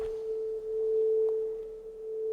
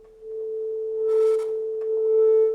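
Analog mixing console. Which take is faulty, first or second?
second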